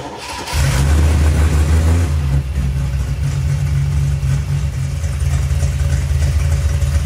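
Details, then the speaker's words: 1972 TVR 2500M idling after its worn, noisy water pump was replaced. Engine fires after a short crank and settles to a steady, even idle. No whine or grinding; the new water pump is much quieter and sounds normal. "everything looks good and the water pump is much quieter"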